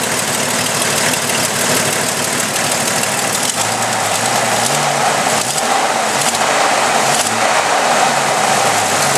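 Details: Jeep Cherokee 4.0L at idle, tick from the back of the engine, heard through a listening tube: sharp fast tick over idle; cheap OBX header manifold gasket blown apart, exhaust leak, cured with Felpro gasket.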